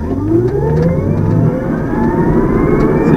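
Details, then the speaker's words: Electric car, full-throttle acceleration: smooth whine climbing steadily in pitch with no stutter, clunk or felt transition; motor and controller running cleanly. "the full throttle acceleration will be another good one here"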